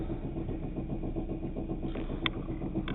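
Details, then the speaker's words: 2.2 L Chevrolet Cavalier, 5-speed, idling at a light after about 15 minutes of driving: rough idle with a deep uneven knock and sharp metallic clacks, quieting at higher rpm; owner believes a spun main bearing. "but again it's a very unhappy sounding noise"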